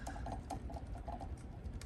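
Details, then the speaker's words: Dusty, slightly wobbling ceiling fan hums low with intermittent light, uneven clanks and ticks, like something loose; suspected loose screws, not confirmed. "It's not always doing it, but you can hear it's making like a clanking and wobbling sound, like something's loose."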